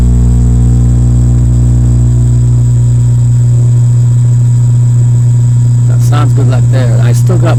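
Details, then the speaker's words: 1965 Silvertone Model 4236 tape recorder after restoration, mic about 1 in from speaker: steady low buzzy mains hum at constant pitch while the hum control pot is turned to find the least-hum sweet spot. "right now you can see the signal the hum signal coming up that's hum you're seeing right there let me turn this pot and we'll see if we can hear any more hum when I turn it"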